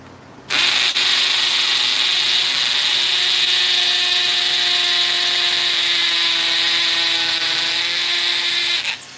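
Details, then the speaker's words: Hammer drill boring into soft brick without being pushed, letting the drill do the work. A steady high buzz lasts about eight seconds without labouring and goes right through. Normal hammer drilling. "and as you can see it's like bada right it's like that it just went right through it look i can even see you guys um so that's brick brick is nice and soft"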